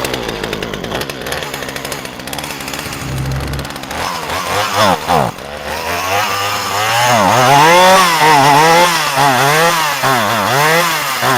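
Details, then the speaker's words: Free Poulan chainsaw, bone dry and refilled with mixed gas, started on choke: it runs with a wavering, surging pitch that sags and recovers about twice a second. It bogs at low idle until the throttle is feathered, and not at high idle; warming up doesn't cure it. "I'll let this warm up for a minute and see if that bog goes away, but I have a feeling it's not going to."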